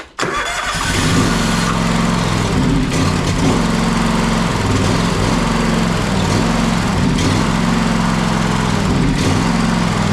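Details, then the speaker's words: John Deere X540 with Kawasaki FD731V engine that dies after 15-20 minutes of running: it runs only with the choke held on, with an uneven, hunting, surging beat from fuel delivery starvation, fixed by ultrasonic carburetor cleaning and clearing the fuel supply. "now now it won't stay running without me keeping the choke on as you see there"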